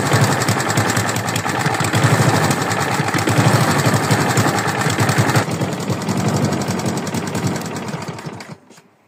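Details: Free used lawn mower's small engine at steady speed with a rapid, loose knocking tick through the exhaust beat, then shutting off; engine knock, owner asks whether it is rod knock, unconfirmed.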